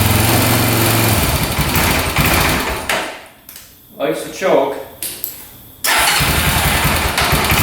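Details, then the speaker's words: 2004 Honda 400EX single at first start after a new carburetor and spark plug, valve clearances set, choked: catches and runs rough, nearly dies, then picks up with uneven sputtering and a loose knock; engine knock and poor idle. "So far, no smoke, but it sounds like it's knocking pretty good, doesn't it? Doesn't sound the greatest. Um, and it's not idling or"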